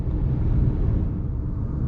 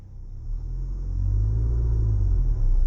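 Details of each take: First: Manual car cruising in the city in fourth gear at about 50 with roughly 1500–2000 rpm; steady low engine drone, smooth and even with no knocks or surges, a normal light-load cruise. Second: Manual car pulling away from a standstill in third gear, straining the clutch: deep heavy rumble swells and labours for a couple of seconds without the revs climbing freely; engine lugging in too high a gear.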